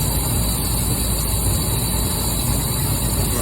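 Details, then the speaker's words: Central AC outdoor unit, R22 system, after failed condenser fan motor capacitor: loud, rough, steady compressor hum and rumble drawing almost 19 amps; strained compressor nearly killed by the dead capacitor. "Compressor sounds like like ass, but it is what it is. All right. 18 almost 19 amps. That compressor sounds like ass."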